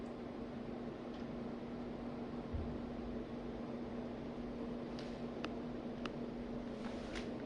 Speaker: all right this is going to be a final startup on one of the ceiling fans we have in our rental house so let's get to it this one's really powerful too